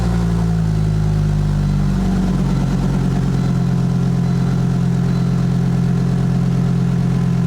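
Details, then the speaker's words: Volvo 850 Wagon first startup after timing belt, cam timing and water pump replacement: a few seconds of cranking, then it catches and settles into a steady, even idle with a smooth low hum; sounds okay, though every warning light stays on. "That's really friggin' weird. Oh well, it's running. Sounds okay too, if you ask me."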